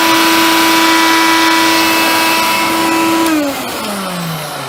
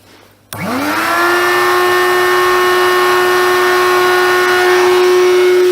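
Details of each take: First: Hoover Convertible/Dial-A-Matic U1124A upright vacuum after quick fix, turning better after flushing dirt out, suction tested; strong steady whine holding pitch, then smooth spin-down at switch-off. Normal running. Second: Hoover Convertible/Dial-A-Matic U1124A upright vacuum, first run with bag out, expected to run badly from being dry; fast spin-up to thin, high, hollow airy whine, tone changed, old filter medium debris blowing out. Airflow blockage.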